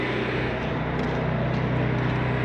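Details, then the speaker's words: Cummins Onan 3600 generator on a Jayco Melbourne 24L motorhome, just started after priming: steady even low hum with constant tone, no knocks or misses; running smoothly and healthy. "they say it's not good to turn the generator right on and off, so I'll leave that running just for a second while I continue to talk about your control panel."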